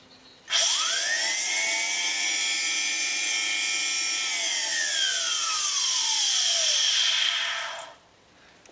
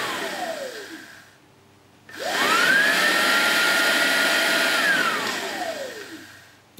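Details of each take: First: 2011 Mercedes-Benz C300, cold start complaint: secondary air pump powered directly, high drill-like screech spinning up, holding about seven seconds, winding down; worn pump bearings, jet-engine or circular-saw sound. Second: 2011 Mercedes-Benz C300 secondary air pump, bench-powered after greasing its bearing: spins up to a smooth, steady whir and winds down cleanly, no jet-like roar or grinding; normal pump operation after repair.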